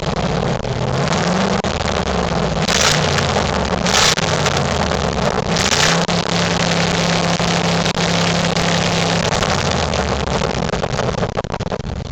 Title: 1998 Ford Crown Victoria Police Interceptor exhaust leak drive by